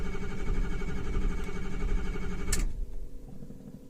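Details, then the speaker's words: 2006 Ford F-350 6.0 diesel, cold in snow, after ICP solenoid/pressure regulator and oil change: starter cranks steadily but never fires; ICP only 400 psi versus 1688 desired; suspected high-pressure oil leak or defective pressure regulator. "if we give this a little sniff of ether it'll start there must be a high pressure leak in the system some place or that pressure regulator is defective"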